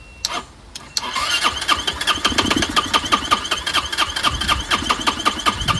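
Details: Chinese 150cc Moto Cooper Revo (CF Moto) scooter, hot-wired: starter churns with quick regular chuffs, only firing when fed fuel into carburetor; fuel delivery problem suspected.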